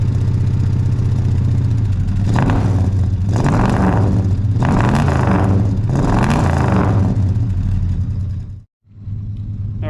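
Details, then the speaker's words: Ford 302 Windsor small-block V8 before teardown: an uneven, loping idle that stumbles through short revs, a misfire. Checking the headers with a temp gauge shows one over 200 degrees cooler, a dead cylinder. "So just from that, we can definitely hear there's a bit of a misfire there."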